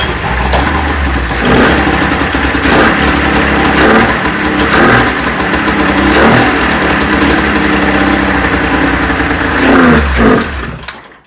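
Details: 1996 Ski-Doo Formula III 600 triple two-stroke snowmobile after carb cleaning, choke adjustment and carb synchronization: catches on choke and runs with a busy, crackling note, revs rising and falling evenly before shutting off, then out of gas; running fine.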